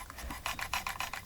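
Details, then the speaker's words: Hobao Hyper ST nitro truggy, engine turned over by hand: light scraping rasp about six times a second; clutch rubbing, owner thinks not the whole problem. "the clutch is rubbing but I don't think that's I don't think that's all the problem"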